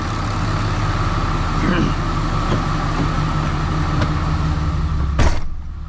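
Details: Freshly rebuilt 6.7 Cummins diesel during break-in, held at high idle outside to warm up for hot retorques, with the AC on to add heat because it warms slowly: a steady, even rumble with no knocks or misses; a normal high idle.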